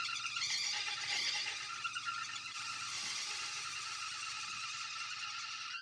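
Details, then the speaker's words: Cadillac Brougham revived after sitting 10 years, belt refitted after power steering pump and alternator work: sustained high-pitched squeal about six seconds at startup, then cuts off; belt slipping, owner suspects pulley lacks traction on it. "Put on the belt. Belt's still squealing. I'm sure the pulley just doesn't enough traction on it."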